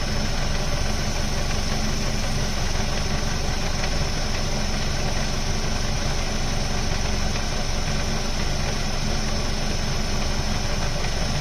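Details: Ford Focus mk2 2.0 Duratec with MTX-75 gearbox idles with a low, loose rattle, about four beats a second. It disappears when the clutch is pressed; not flywheel or release bearing; persists after a complete clutch replacement.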